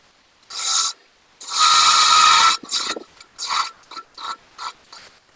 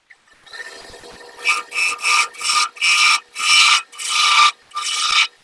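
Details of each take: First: Wood lathe turning a madrone finial held in pin jaws: smooth hissing shaving bursts with each pass, no rattle or chatter; clean slicing cut with the bevel resting and little force on the tool. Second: Wood lathe turning a thin madrone finial held in pin jaws; bursts of cutting over a groaning, resonating hum, from taking off too much material with a sharp tool, not pushing hard: lathe chatter resonance, the sound to avoid.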